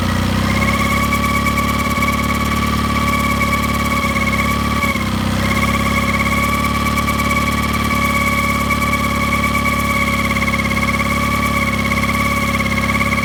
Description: Mercury 9.9 Pro Kicker is making humming noise at low rpm.